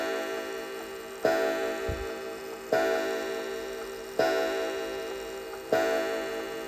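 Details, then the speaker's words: Antique count-wheel kitchen (parlor) clock after synchronizing the strike with the hands: clear bell strokes about every 1.5 seconds over a soft tick, 11 strikes at 11 o'clock; normal strike. "there we go we've got 11 chimes and our hands are pointing at 11 o'clock"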